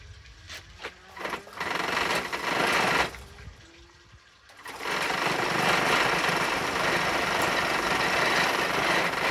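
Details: Laser model four-stroke engine from a Flair DR1, lacking compression, primed with fuel and glow power: buzzy starter whirring spinning freely and evenly with no firing; engine cranks but will not start, no compression.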